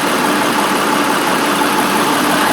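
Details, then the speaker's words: Truck diesel engine idling for about two hours with the AC on: loud, steady, even drone with no knocks, hiss or surging; running normally. "listen to it listen to what it's doing i mean it's been sitting here running for about two hours now got the ac on in front"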